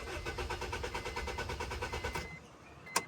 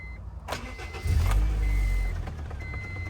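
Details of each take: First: Honda CR-V RD1 with a newly spliced kill switch in the off position cutting fuel: starter churns about three beats a second for two seconds, engine never catches, then a click; no start as intended. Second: Honda CR-V RD1 with newly installed fuel kill switch turned on: short crank, then the engine catches and settles into an even, low idle with no misfire or knock; starts and runs normally.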